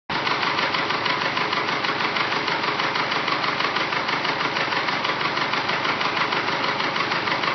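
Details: Rebuilt engine with forged pistons, at idle and up to operating temperature: a loud, steady clattering knock and tick, about three a second, from piston slap.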